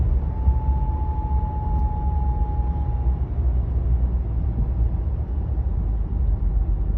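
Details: Pontiac G8 GT while driving: thin, high, steady whine from 30 to about 50 mph, also on deceleration, seemingly from the back of the engine or near the transmission; source undetermined.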